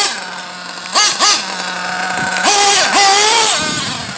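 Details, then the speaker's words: Pico P3 single-cylinder during break-in, untuned, with a 16 pinion, idling slightly high and running pretty rich; crisp idle with clean quick throttle blips that rise and fall smoothly, and the engine sounds healthy. "Sounds healthy."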